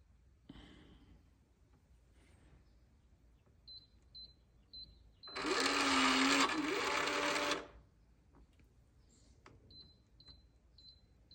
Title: Schlage connect lock making loud clicking noise